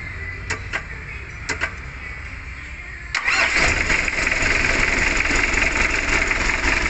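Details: Mitsubishi L300 diesel complained of as limping, shaking and lacking power, still limping after the owner replaced a part: a few clicks, then it cranks into a loud, rough, clattering idle. Diesel misfire with a dead cylinder.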